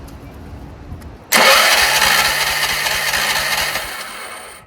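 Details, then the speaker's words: Troy-Bilt 30-inch rear-engine rider, Power More 420 engine, off choke on a cold 35-degree day. It catches on starting spray, runs a few seconds, then dies. Fuel starvation: the engine sounds good but the carburetor isn't feeding; owner suspects water in the fuel. "No. Let's spray it again. See. I have a feeling there's water in there."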